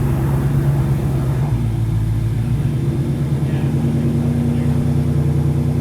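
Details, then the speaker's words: S550 Mustang GT V8 just fitted with JLT cold air intake and Palm Beach Dyno E85 tune: steady smooth deep idle, no misses or hunting; idling okay, no codes after clearing. "It's idling okay. Clear the codes."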